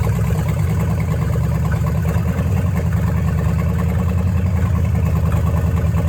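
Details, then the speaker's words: Dodge Challenger revived after 35 years, after replacing fouled spark plugs and fixing a vacuum hose on an engine that ran rich: a steady, even, low V8 burble at idle with no stumble. Normal idle. "dles so much better now so i'm excited to really hear uh what this thing sounds like"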